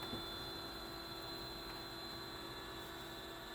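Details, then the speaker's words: BenQ W1080ST DLP projector after cleaning and lamp service, just started: steady high whine over soft fan rush from a noisy color wheel that probably needs replacing. "wheel is a little noisy though you hear that that that whine probably could use a new wheel"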